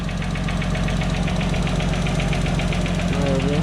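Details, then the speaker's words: Nissan Silvia S14 with RB25DET swap, first start after installing a new oil cooler: quick light ticking, roughly six a second, over a steady idle. Lifters clattering as oil pressure builds and refills them. "You can hear the oil building up in the lifters. So we'll let it run for about a minute, I reckon."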